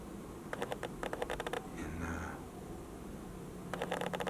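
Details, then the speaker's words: Canon 80D with a regular non-STM Canon 1.8 lens, recorded on the internal mic: two bursts of rapid, fine clicking and whirring from the focusing motor, louder on the camera body; normal autofocus noise. "you can hear the focusing noise. That is a regular 1.8 Canon lens, not STM. Makes a bit of noise, but on the camera body you hear that more."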